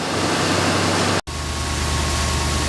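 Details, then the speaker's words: 1966 Ford Thunderbird V8 with rebuilt heads, idling after the battery was recharged; alternator charging about 14.5 volts. Steady, even low rumble with no misses, knocks or ticks. Smooth, healthy idle. "this is that baby purr huh rebuild heads make a big difference it's never run this smoothie it's got a great sound to it"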